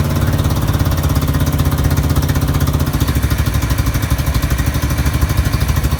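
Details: Murray riding mower with a modded 12.5 hp Briggs combined with 13.5 hp parts, first start after the swap with a straight pipe: loud, deep, even open-pipe thump at about three beats per second, no misfire or clatter; running healthy.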